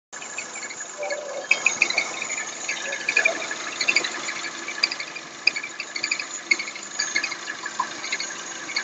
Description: Sintoma (apresentado no vídeo) - Motor THP usado pela Citroen, Peugeot e Mini com barulho anormal em marcha lenta semelhante a um "grilo", muitas vezes confundido com a correia de acessórios mal tensionada.